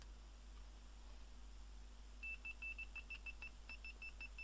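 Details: Labtec PC speaker with driver re-soldered, measuring 4.3 ohms, test-tapped: clean high beeps in irregular hand-tapped bursts over a quiet hum; normal speaker driver.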